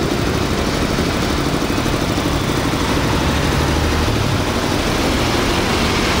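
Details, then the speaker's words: Japanese-used Hitachi 2 hp three-phase air compressor with an 85 L tank, set to 8 kg pressure, starting automatically when air is released: quiet, steady pumping drone with no knocks, running normally. "Để áp 8 ký á, mình xả hơi là nó tự chạy nha. Máy êm, đây."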